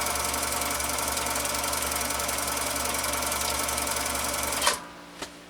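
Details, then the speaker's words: Husqvarna Viking 6430 sewing machine, formerly rust-infested and seized solid, now running after restoration; quick, even mechanical chatter about three and a half beats a second, smooth and free with no binding, then winds down. "Had the final countdown. Was infested beyond measure with rust. Was locked up like a drum. And now listen to it."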